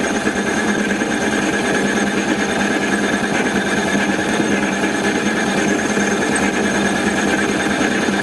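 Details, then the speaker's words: Mini lathe turning out-of-round stock of about 14.3 mm for a tailstock camlock, with the cut reduced from 0.5 to 0.25: steady, gritty cutting hiss with faint chatter. The intermittent cut evens out as the diameter cleans up. "can hear less and less intermittent now. I can still hear that sort of gudder, that noise, but it's becoming more consistent, the cut around the diameter."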